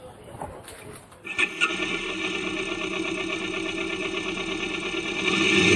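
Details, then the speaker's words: Kawasaki Vulcan S 650 after chain and sprocket replacement following chain jumping off and locking the rear wheel: engine catches and settles into even beat, clean exhaust, no knocks or rattles; smoother, quicker; normal running. "Right, from the off we can clearly hear the engine sounding better."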